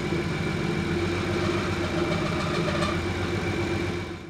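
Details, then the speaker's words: BMW E36 turbo, M50 engine rebuild, restart: steady, even idle with faint thin high-pitched whistle that fades away as it idles; otherwise smooth, normal idle. "so at this point that I could still faintly hear the high-pitched noise for a bit it got me a little worried but after letting the car idle for a bit it seemed to just fade away"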